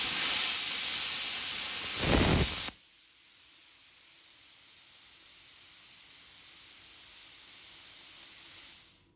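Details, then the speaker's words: Hynade HYC550P 55A non-touch pilot arc plasma cutter with post-flow dialled up to about 6 seconds: a steady high-pitched rush of air continues after the cut, then fades; normal, longer post-flow cools the tip. "Let's dial that up to like 6 seconds. Let's see what that sounds like. Has a lot to do with how much air you have."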